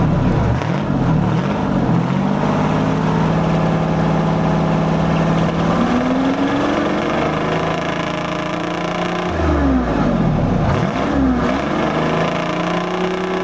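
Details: 1973 International Transstar 4300, 12V71 Detroit diesel sat since 1986, after fuel return flow check: revs climb and fall over a steady low rumble, no knocks; owners suspected injectors, cylinder temps within 10°, maybe air in the fuel now purged.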